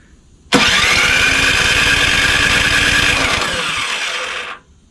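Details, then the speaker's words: Craftsman 247.889571 snowblower on electric start, oil full, compression felt, primed and choked: steady fast cranking about four seconds that almost catches but never fires; cranks but won't start, spark to be checked next. "let's uh actually almost sounds like it wants to go I'm going give it some choke prime it choke not quite"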